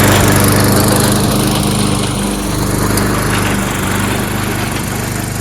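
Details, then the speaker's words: Troy-Bilt 22-inch mower, 4HP Briggs Quantum, makeshift throttle linkage, run on choke for one steady speed: even single-cylinder buzz while cutting grass, slight dips under load; normal running under load. "Actually, most pretty good. Just keep it on choke. Then you have one steady speed."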